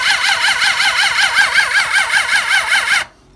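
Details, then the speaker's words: Suzuki GSX600F with a cold-start problem, on a substitute battery: starter whirs with even pulsing for about three seconds, engine cranks but won't fire. "So I hooked up the other battery, so let's check. Maybe we have more luck this time. Something is not really going well."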